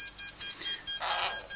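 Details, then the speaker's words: ESC powered through channel one of a Tarot ZYX flybarless controller, three solid lights on the Tarot, while binding a satellite receiver: rapid repeating high-pitched beeps, about four to five a second, the ESC warning of no valid signal. "I've just got three straight lights on taret"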